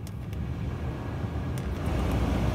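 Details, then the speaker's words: Maruti Wagon R LXi AC blower on fan speed 1 after cleaning the left-side blower: smooth even air rush over a low steady hum, with none of the earlier vibration. Normal blower fan operation. "जो खाली साउंड होगा वो जो विंड है वो खाली सिर्फ उसका ही आवाज़ रहेगा, बाकी सब पहले जैसा कोई वाइब्रेशन नहीं है। आवाज़ बहुत अच्छा हो चुका है।"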